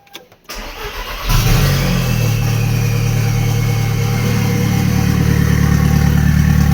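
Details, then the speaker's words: Toyota MR2 with an Audi 1.8T engine swap after 3–4 days of diagnosis: the starter whirs, the engine catches and settles into an even idle on all four cylinders. The earlier knocking from bent rods is gone and it sounds healthy. "That is this thing running on four cylinders. Sounding happy, healthy. No more knocking from the little ends or piston slap, sorry, from bent rods."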